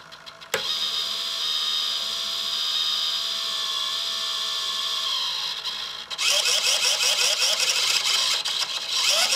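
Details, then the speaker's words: Hitec 785 sail winch servo holding a sheet on a standard drum under 1 to 2 kg load: steady high whine, then a rough pulsing buzz as it strains against the load; louder as the load rises. "this is now one kilo load and you can hear the noise it's much louder so now it's two kilo load"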